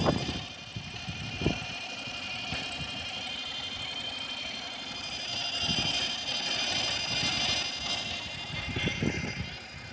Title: N52 whining noise